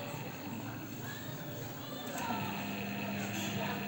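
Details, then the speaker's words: Washing machine motor tested alone with the belt to the gearbox removed, run both directions on direct power after harsh noise: smooth steady hum, noise 99% gone; normal motor run, gearbox not the cause. "الموتور معانا اهوت، مفيش اي صوت."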